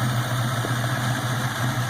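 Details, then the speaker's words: 4.6 Mustang GT with Trick Flow stage 2 cams, supercharger not yet hooked up, first start, cooling system not fully connected: BBK long tubes, X-pipe and Flowmasters give a deep, steady loping idle; normal idle with cam lope. "So let's shut her down. I don't have the cooling system all the way hooked up, so we don't want to run her too long. That sounds hella good."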